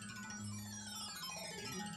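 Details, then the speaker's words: 1986 Williams PinBot pinball machine, game music through the speaker: plays clean and clear, notes steady with no crackle, buzz or distortion. Music sounds fine, unlike the speech and ramp explosion effects, which are distorted. "it sounds perfectly fine."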